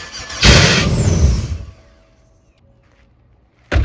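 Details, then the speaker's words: Land Rover Discovery 2 with swapped LS V8 after new wiring: cranks, catches for a single rev and dies within about a second, second crank begins; oil pressure light on, owner suspects a safety shutoff, cause unknown. "it kind of starts it turns over you can hear it does that first rev and then it immediately shuts off"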